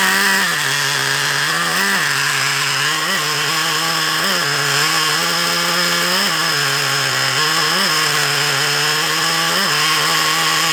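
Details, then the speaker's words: Traxxas Revo 3.3 nitro RC engine, carb screws fiddled with, leaned out: high buzzing that surges and sags about once a second; a leak around the low-speed needle is suspected, and a carb clean-out is considered. "not right that's definitely not right in it let's keep playing with it it's got a leak around that low speed needle"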